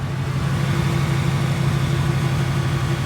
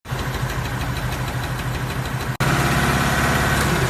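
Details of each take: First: 2018 Ford Mustang V8 idling right after a drag strip run: steady, even idle with only faint normal direct-injection chatter and no tick; owner says it lacks the ticking noise. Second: 2018 Ford Mustang V8 at idle: fast, light ticking about three ticks a second over a steady idle; engine tick, cause suspected but not confirmed.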